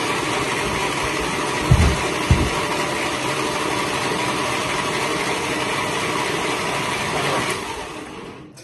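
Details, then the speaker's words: 1941 Plymouth engine, not turned in 50 years, freed from seizure with Seafoam spraying out the exhaust: uneven, laboring cranking with heavy thumps and no catch; many valves later found not closing. "but it is cranking it is spinning it is no longer seized"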